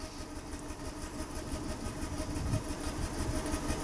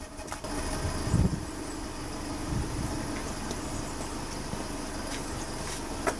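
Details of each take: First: Petrol engine idling unevenly after a misfire is induced by unplugging cylinder one, stumbling about three times a second; exhaust pressure drops at the tailpipe on each dead miss. Single-cylinder misfire at idle. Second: Petrol engine idling smoothly and evenly after a deliberately introduced cylinder-one misfire is removed by reconnecting the plug, every cylinder firing, during pressure transducer exhaust-pulse testing.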